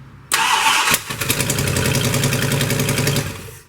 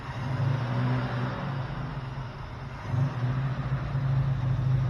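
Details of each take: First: 1972 Plymouth Roadrunner 383 Magnum first start before cam break-in: V8 idles with sharp ticking puff each firing pulse, oil pressure about 25; exhaust leak, suspected from EGR port, not verified. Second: 1972 Plymouth Roadrunner 383 Magnum, first start after sitting 15+ months, new distributor, vacuum advance disconnected, stock/RV-grind cam: held at steady fast idle with deep even drone and mild lope; normal high idle during cam break-in.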